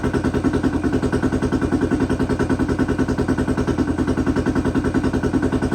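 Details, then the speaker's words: 2008 Honda 400EX ATV after top-end rebuild (melted piston, damaged cylinder from oil starvation), started on choke: loud, even exhaust thump, steady beat, no knocking or rattling heard; runs healthy, bottom end still unverified. "that's what L have sounds good though there's no no engine noise really can't really hear anything though over that exhaust"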